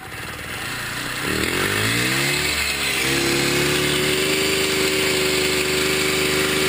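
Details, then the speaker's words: Series 1 Piaggio Ciao moped, engine reassembled with new gaskets and new head with decompressor: catches into thin, buzzy, weak breathy drone, seems to suck air; still low compression, owner doesn't believe cases are leaking. "Compression's still off, but I'm not getting any dripping that I see. Or maybe there's something there. So, still have a lack of compression, but got a little further."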